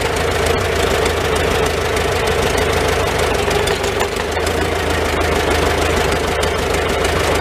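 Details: Old Farmall four-cylinder tractor started on choke, in neutral, idling inside a tight, smoky shed: slow, fairly steady chug with some clatter but no misfires; normal idle, running not too bad.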